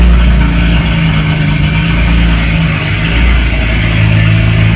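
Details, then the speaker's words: BMW 335is after swap to a new N54 engine, coded and running, misfire code for cylinder six cleared: even, steady low rumble at idle with no stumbles or misses, background music; running smooth. "[Music] running smooth [Music] all right so let's clear that old code out from the misfire for cylinder six and everything sounds sounds good"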